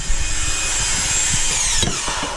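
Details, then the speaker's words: Toyota Sienna in park, no-start: starter motor spins with a high thin electric whir sagging in pitch, no cranking rhythm; never engages the flywheel, tapping it didn't help; starter failed and needs replacement. "All right, so the starter on this car is on park. So if I crank it up, the starter keeps moving."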